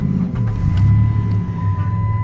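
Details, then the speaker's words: 2007 Chrysler Town & Country LX wheelchair van, 338,000 miles: starts first time, deep smooth hum settling straight into an even idle with no stumbling or knocking; healthy normal start. "I don't know if this is a regional drivetrain or not but I know I starts that first time every time"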